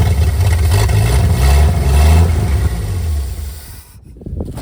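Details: 1959 GMC 100 truck revived after 30+ years in a field; choke freed after sticking partly closed. Engine runs unevenly with surging revs, dipping almost to stall near the end; rough idle, idle mixture screw found only half a turn out.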